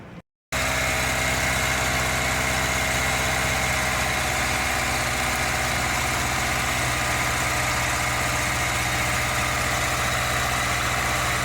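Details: 2005 Hyundai Matrix, after injection corrections for P0302 cylinder 2 misfire with check engine light; low compression from worn rings: steady, even idle, smooth unbroken rumble, no misses; runs cleanly, light off.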